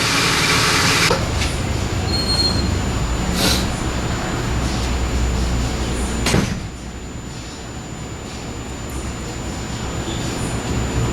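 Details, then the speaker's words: 1970 Pontiac LeMans 455 V8 with Quadrajet, after transmission/torque converter rebuild, not run in a while, primed with fuel down the carb: pops then settles into loud, steady, even idle, no knock or tick; runs well. "so so i think sounds awesome all right so it starts it runs"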